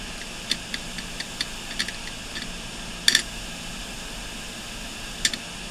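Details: Failing desktop hard drive (SMART failures or bad sectors) running with its cover removed. A quiet hum broken by sharp irregular ticks and a short clatter at spin-up, repeating the same startup sequence on restart.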